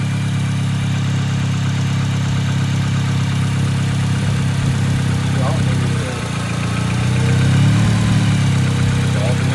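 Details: Acura RSX idling while a Zus Nonda monitor shows a P2500 alternator code; battery tested good (512 cold cranking amps). A steady, even low rumble with no knocks or misses and one brief dip in level. The idle is normal, and the alternator was later found good.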